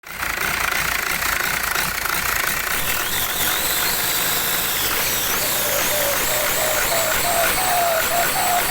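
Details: Turbo test after fitting a performance turbo housing: loud hiss with a thin whistle rising steadily in pitch as the engine runs up.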